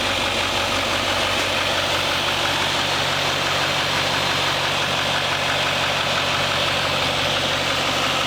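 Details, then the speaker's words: 2021 Duramax Silverado 2500 diesel just started after installing a new radiator to replace a faulty one and refilling coolant. Even idle with light injector clatter and steady fan hiss, no odd knocks, and no leaks seen: a healthy idle. "Got it running. Looking around, making sure nothing's leaking. Every sound I'm listening to."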